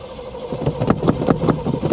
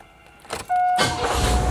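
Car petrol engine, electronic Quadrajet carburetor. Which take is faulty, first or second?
first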